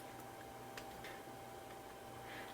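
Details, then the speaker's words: Compaq Presario 1237 laptop that sat in a wet basement, 4.1 GB hard drive: faint irregular clicks at each user action over a steady mid-pitched hum; drive suspected to be dying. "Um that is clicking and dying as we speak. I can hear it clicking every time I click on something."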